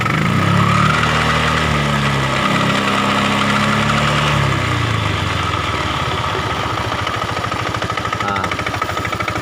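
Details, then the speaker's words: Honda Vario 125 injection scooter idling with a rough, loose klotok clattering knock, about three a second, from the CVT; fades when throttle opened, returns when closed; CVT found modified with wires wedged in the springs. "jadi ada bunyi klotok-klotok di bagian daerah sini teman-teman bisa denger ya pada saat posisi idle RPM dia bunyi tetep"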